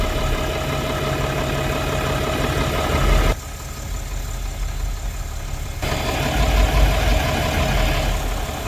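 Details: Diesel truck idling just after startup, warming up to pressurize after the bottom radiator hose was refitted and coolant refilled. Steady, even idle with a low smooth chug and fan whir; nothing irregular, engine healthy.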